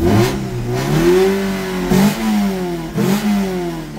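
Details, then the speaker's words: Car on unlock (immobilizer-delete) ECU, idle slightly high: engine revs up and settles back cleanly several times, no stumbling or bogging, no stall; normal idle and revving. "Bakalım stop edecek mi? Senin ben Allah cezanı vermesin ya. Yavrum benim yiğidim nasıl çalışıyor?"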